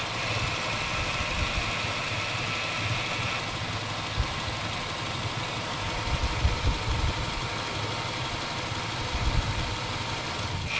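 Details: 1996 Ford Falcon EF 4.0L inline six: uneven idle with stumbles and speed dips in park, neutral or drive; smooth under load, compression in spec, no vacuum leaks. Idle misfire.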